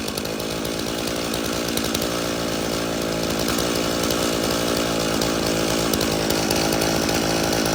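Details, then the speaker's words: Stihl chainsaw (customer's MS 391 or MS170), dropped off because it would not start; refuelled with the fuel it came with, which had some dirt in it, then started outside at night. It starts and runs evenly with a steady high two-stroke buzz and no misfire. "okay well this thing starts and runs"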